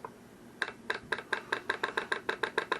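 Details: New evap purge solenoid valve for a 2012 Mazda 3 sedan (evap light, no DTCs), bench-tested on a power supply: crisp, sharp clicks about three or four a second on a quiet bench. The valve is opening and closing normally.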